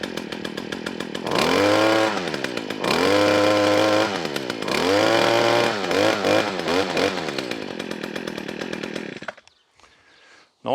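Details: Stihl FS40 strimmer found at the dump, new-looking, primed and choked, run with no strimmer head fitted; small two-stroke revs up and drops back in clean bursts, idles, shuts off, no misfire; normal running.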